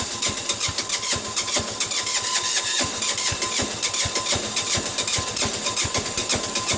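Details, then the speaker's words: Sears Suburban 6 hp diesel garden tractor in frozen winter conditions, block warmed with a propane torch. Starter still frosted. Quick even cranking chuffs go on for seconds but the engine never catches; cranks but won't start. "we go all this going not quite yet sounds like it's going but it's not"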